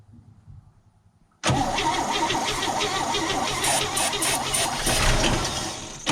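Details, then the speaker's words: 1963 Chevy pickup's first start after 26 years stored, with new points, plugs, wires, condenser and battery, a cleaned carb, and fuel fed from a small tank straight to the pump: cranks, catches, then sputters unevenly with surging; choke being set. "oo she putter there you go we try we set the choke set the choke"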